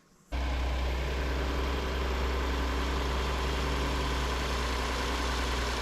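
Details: 2019 Hyundai Santa Fe XL 3.3L GDI after a serpentine belt replacement, engine catches and settles into a smooth, even idle with no belt squeal or chirp; running normally.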